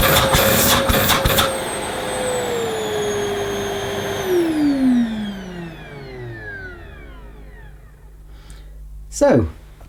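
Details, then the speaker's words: Hoover Eco G 700 W bagged vacuum on minimum setting: switch clicks, then clean mid-pitched motor whine that slides lower and fades as it winds down; fairly pleasant, not too loud; normal motor run. "not a bad volume level as I said it's hard to tell when you're watching a YouTube video of a vacuum but it's a fairly Pleasant sounding machine compared to some of the screamers we used to get in the old days"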